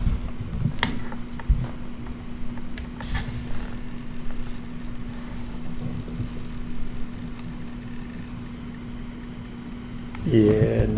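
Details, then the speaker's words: Xbox One X that makes a noise when plugged into power: a steady, low, mains-pitched hum from the console's power supply that sounds unhealthy. The power supply is suspected, not confirmed. "I think that noises the power supply yeah I think that's what that noise is fairly certain the power supply is not supposed to sound like that"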